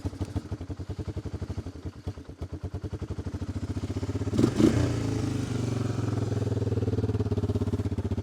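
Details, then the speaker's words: 1988 Honda FourTrax TRX300 single-cylinder, base gasket leaking oil: uneven, lumpy chugging around 200 beats a minute that stumbles and surges, only runs with choke; lean running from carburetor fuel starvation, needs carb cleaning and tuning. "it should fire right up but it's not quite getting enough fuel so if we just choke it she not going to run there we go definitely needs a little tuning"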